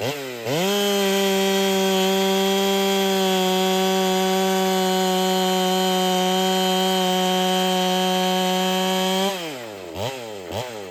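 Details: Ported Holtzfforma 395 chainsaw, very quiet, cutting: steady high scream at full revs with airy hiss from the muffler whenever it runs; owner suspects muffler isn't flowing enough, next step to address.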